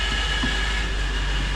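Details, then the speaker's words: 2015 Ford Fusion hybrid in reverse: a steady high whine over the drivetrain, like a power steering pump. It is worse in gear and eases in neutral. The owner suspects known failing transmission bearings. "Uh the the owner did some research himself and he told us that these cars have this bearings inside the transmission that tend to go bad."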